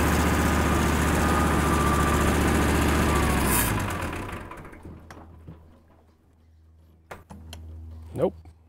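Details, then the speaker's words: Kubota M5700 tractor, 5-cylinder diesel of nearly 60 hp, started after replacing the fuel lift pump: steady rumble fades and the engine stalls, same problem as before; fuel delivery upstream of the pump is suspected, cause unconfirmed. "still has the same problem"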